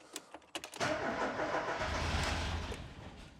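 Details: Ford Escort Cabrio XR3i after injector cleaning and new injector seals: a few starter turns, then a rough half-catch that fades without running. This is a crank-no-start from lack of fuel; fuel pump relay replacement is to be tried next, cause not confirmed.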